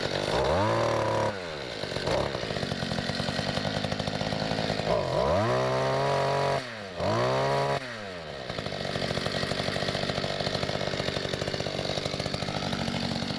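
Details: 1994 Mantis cultivator, weedeater-type two-stroke, after carburetor adjustment per online tuning, started with two primes: revs up cleanly, drops back and picks up several times, then holds steady buzzing idle; runs as it should.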